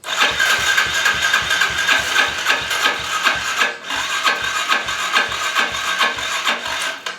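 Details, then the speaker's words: Yamaha TTR 110 with a weak battery cranking after the spark plug was refitted: starter whirrs with sluggish, uneven compression pulses and the engine never catches; slow crank, no start. Owner suspects the battery, possibly also spark or fuel. "yeah I just tried starting it and it didn't didn't even want to bump so uh let me see if I can get this on a charger somehow"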